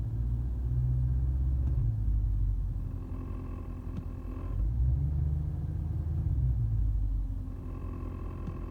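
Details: 2008 Mercedes CL63 (W216) at idle, heard from the interior: low idle rumble with dull knocks coming and going, gone above idle and back when stopped at lights; owner suspects a bad gearbox mount near the firewall.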